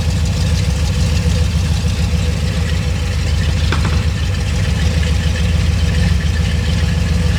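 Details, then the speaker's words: Ford 351 Windsor V8 with a flat-tappet cam, on the dyno after a tuning adjustment: a deep, loud burble with an even low pulse and no stumbling or misfire. The tuner says it is idling cleaner, a normal idle. "I think it's idling cleaner there. Yeah."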